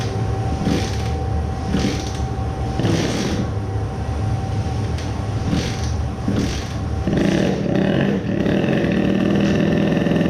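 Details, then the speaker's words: Tuned 20 hp two-stroke moped engine, first start after crankcase resin filling: catches and settles into steady buzzing idle, no knock or rattle; idles normally, maybe slight grinding. "it started normally when I tried it first time, it felt like it was welded I was sure it will not start. but then it just idled normally"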